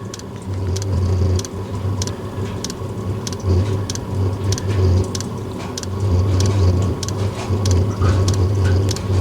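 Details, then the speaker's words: Diesel heater after running used HV46 hydraulic oil, clogged: low fan roar, rising and falling hum, fuel pump ticking about twice a second as it labours to relight and smokes; owner suspects hydraulic oil damage. "I got a feeling the hydraulic oil has not done that heater an awful lot of good. But we'll see if it can light up again."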